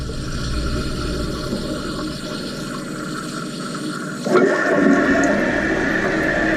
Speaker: So when it's leaking around this seal right here. So you can hear that. Just got my finger in it, and then it'll lower the water level.